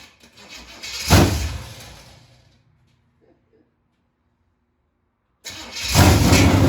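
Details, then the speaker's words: 1974 Chevy Nova with Chevy 283 V8, first start in 50 years: catches at once, winds down and quiets, then fires again into a steady, solid rumble; runs well after start. "fire this thing up man heck yeah it sounds so good"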